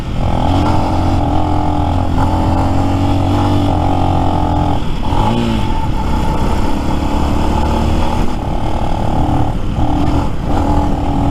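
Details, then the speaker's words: New Lifan X-Pect single, about 70 miles, limping home downhill: steady drone briefly stumbles and dips in pitch mid-clip before recovering; intermittent cut-out later fixed by adjusting valve lash. "see I'll I'll leave it alone for a second see if that makes any difference nope didn't last any longer reports started hiccuping"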